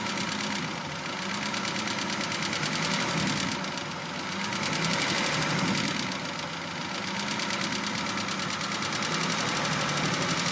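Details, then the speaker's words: V12 engine recorded from underneath while lightly revved: a sharp, regular knock about four per second rises and falls with the revs; onset of big end bearing failure, the engine needs removal and a full rebuild. "next clip we're underneath a v12 engine and just lightly revving it up and this is the onset of that big m bearing"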